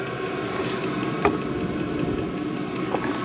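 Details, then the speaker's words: Chinese diesel heater in a truck camper, turned up by remote from a low setting and ramping up: soft, steady fan roar with low combustion rumble, no knocking or popping; normal running on high. "So it was on one of the lower settings and you can hear it starting to ramp up. And this will just start blasting heat through the vent, which is right up there."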